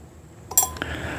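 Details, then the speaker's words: Briggs and Stratton 17.5 hp engine, new compression (cam) release lever: single sharp metallic ping as it snaps shut quickly; strong spring returning properly, unlike the old lever whose weak, worn spring closes slowly. "So, the spring tension is a lot more on this one than the old one, guys. And springs do wear out over time."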